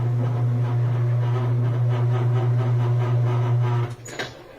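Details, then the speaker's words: Whirlpool Thin Twin laundry center washer with a leaning basket, now straightened by tightening as a temporary fix since the shocks are worn; the switch works again. A smooth deep motor drone holds about four seconds, then cuts off cleanly, a normal spin with no knocking. "So now this is a lot straighter, about where it should be. There's spin."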